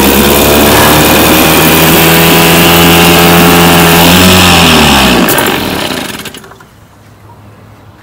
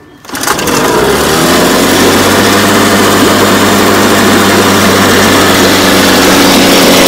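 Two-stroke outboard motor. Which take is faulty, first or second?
second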